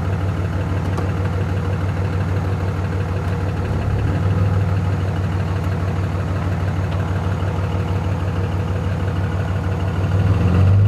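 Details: Cummins diesel idling with steady, deep knock about three per second, growing slightly heavier near the end; rod knock suspected, not confirmed.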